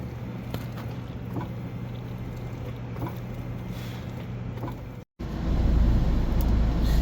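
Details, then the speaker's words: Car freshly dug out of snow: quick, even starter cranking near four turns a second that briefly tries to catch, then cuts out; cranks but won't start, with a fuel line repair planned, cause not confirmed. "Um, so car does want to crank and almost wants to catch. Uh, you heard it briefly where it wanted to start."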